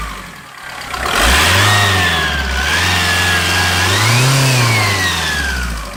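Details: AGR TDI diesel: a high, thin whine climbs and falls with the revs over the engine's rumble; owner suspects turbo whine, but the source is not confirmed.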